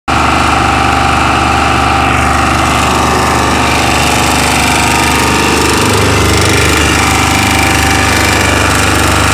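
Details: Chinese 2000 W generator running steadily with a harsh, uneven rattle over the engine hum. Abnormal rattling noise while running.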